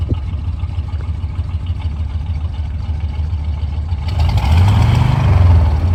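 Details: 1973 Chevy C20 V8 after replacing spark plugs and fuel filter, restarted to listen to the fuel pump: deep lumpy idle with uneven low beat, revs pick up a little, sounds stronger but still rich and not fully settled.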